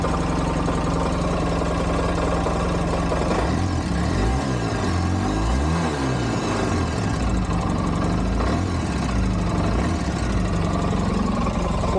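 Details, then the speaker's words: 2012 Polaris RZR 800 S after a long ride: fairly smooth idle, then light rattling tapping that quickens with revs at mid-range throttle; owner suspects valve noise and plans an engine teardown, after a prior oil pressure relief valve modification; tapping when revved. "I'm not quite sure what I got going on is a lot of valve noise at mid-range throttle and and I think I'm going have to tear this engine apart"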